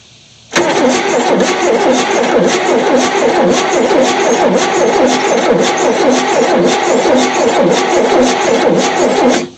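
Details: 1973 Chevy C10 squarebody, not run for 27 years, cap back on, checking the number 1 plug for spark: steady cranking for about nine seconds at an even pace, never firing. Cranks but won't start; spark confirmed.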